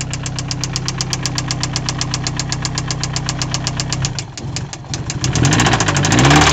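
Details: Nissan 260Z with SR20DET engine swap: sharp, evenly spaced deep heavy knocks about four per second at idle, building again as revs rise; rod knock.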